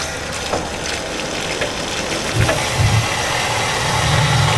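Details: Rinnai tankless water heater powered by a Hugo-X1 battery backup during a simulated power failure (breaker off), with water flowing: a fan rush, then a low, uneven throbbing rumble swells in after two seconds as the burner lights and runs steadily.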